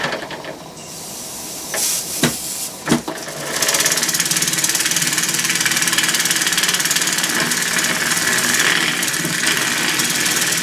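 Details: Shop-built oscillating steam engine on steam at about 10 lb pressure, warming from cold: a few condensate sputtering spits at first, then settles into a quick, even chuffing beat about 220 a minute; runs smoothly, with some typical leakage at the oscillating joint.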